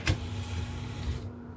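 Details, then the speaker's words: Technics SL-P170 CD player after loading belt replacement, tray motor driven from an external supply: brief, smooth motor whir over a low hum, stopping cleanly after about a second, without the earlier labored sound; tray drive sounds healthy. "sounds like it's good especially if you don't slip off the connections"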